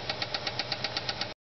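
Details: Ford Fairlane at idle: sharp even ticking about eight per second from a bad lifter on a flattened cam lobe, caused by no oil to the heads and a spun camshaft bearing.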